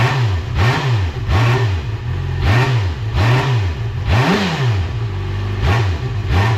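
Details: Motorcycle after service with new spark plugs, air filter, cleaned airbox, fuel lines primed by cycling pump: catches and runs, quick rev blips rising and falling about every half second; crisp, healthy running.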